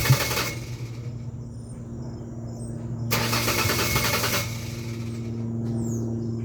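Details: 2001 Ford Ranger XLT 4.0 V6 on a cold morning start: a low, steady starter drone with uneven cranking chatter and two louder bursts, never settling into running. It normally needs about a minute of cranking; it runs fine once started.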